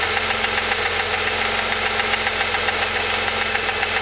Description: Rebuild s20 transmission ,grinding noise goes away whenever i push in the clutch.